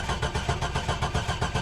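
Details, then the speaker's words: Fuel-injected C7 Corvette with front damage, cranking: steady rhythmic starter cranking about eight pulses a second, oil pressure about 20 psi, no fuel pump heard, makes no attempt to fire; fuel pump fuse suspected, unconfirmed. Crank no start. "yeah there it goes right at 20 psi yeah she makes no attempt we're not going to burn up the starter or anything"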